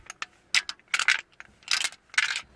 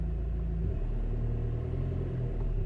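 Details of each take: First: Citroën Nemo with SensoDrive semi-automatic gearbox, not starting or engaging gears; newly bought replacement actuator gives short bursts of loose metallic clinking each time it moves, indicating loose internal parts, so it is faulty and not fitted. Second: Citroën Nemo with SensoDrive semi-automatic gearbox, brake pressed and reverse then first gear selected: low even idle with a soft dip as the gear engages, then steady running; gearbox now selecting cleanly.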